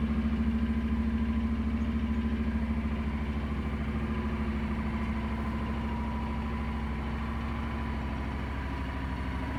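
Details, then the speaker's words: Honda NC750X DCT motorcycle, just started cold: even, steady idle with fast regular pulse, held slightly high on choke; starts easily and runs beautifully, healthy with no knocks or misses. "dobra odpalimy go ładnie pali naprawdę pięknie chodzi"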